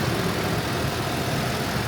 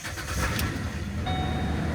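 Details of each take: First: 2008 Ford Explorer 4.0L V6 idling at about 800-900 rpm after replacing a damaged MAF sensor plug harness, the MAF sensor and the air filter for sputtering and stalling; steady, even idle with no misses, no codes, check engine light off: normal idle. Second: 2008 Ford Explorer 4.0L V6 at idle with no throttle input: engine speed sags and recovers on its own, can't hold idle, door chime pinging; owner found damaged MAF sensor wiring harness, replaced plug harness, MAF sensor and air filter.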